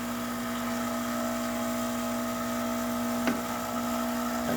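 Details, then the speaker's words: Lucca La Salle dual boiler espresso machine after a full service and tune-up. The steam boiler was drained to zero and is refilling and rebuilding pressure in 20 amp mode. A steady mid-pitched pump hum with one brief click; normal refill. "so now that we're cleared the steam boiler is all way at zero I'm looking at it go back right now um we're going to see it crank all the way back"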